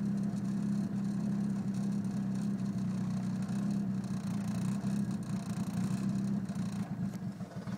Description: Car seems to be misfiring after the intake manifold install. Codes are p0300 random misfire and p0031 o2 sensor heater circuit low voltage.